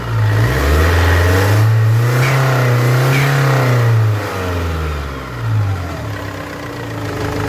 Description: When the engine exceeded 2500 RPM, a loud noise was heard coming from the engine due to exhaust gas leaks through the exhaust manifold gasket.